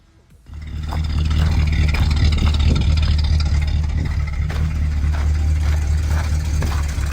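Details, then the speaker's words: Chrysler 318 LA V8, recorded over 12 months earlier while running: it catches and idles with a dull, loosely regular knock of about four per second, suspected piston slap, with cylinder and piston clearances not yet measured. "now this engine did have a a knock to it like a piston slap knock"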